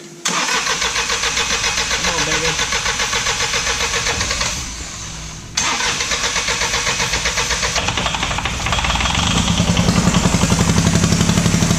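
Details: Diesel truck after sitting five years: cranks and catches, then a lumpy uneven chug of about four pulses a second, running on only one cylinder.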